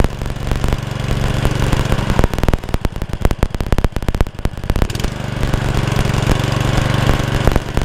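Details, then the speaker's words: Honda Lawn Flite 553 HWS lawnmower, started on choke: an even, steady single-cylinder beat with no surging; hunting cured, normal running. "yep she's fixed so as you saw I had no faithfulness off a time I had a feeling it wasn't going to happen but I think I know what the problem was and it was purely just for a little tiny jet that sits on top of a tube"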